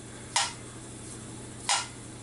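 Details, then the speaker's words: 1948 Nash engine rebuild, seats cut, valves installed but not yet lapped: two crisp, clean metallic snaps as valves close, seating well and sitting tall, not sunk in. "You can hear them valves. They make a really good sound when they close."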